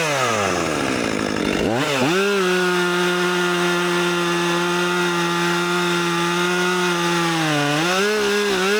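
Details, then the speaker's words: New Husqvarna 564XP fuel-injected 60cc chainsaw clearing trees: high-revving note dips under load then swells and sags in waves while cutting; surging, cause not determined. "I hear it sort of like pulsing or something."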